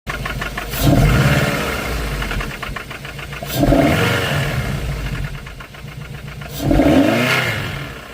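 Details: Mazda MX-5 NC 1.8 engine knocking: a steady ticking knock under the engine note at idle that sharpens each time the revs are blipped, cause not yet pinned down.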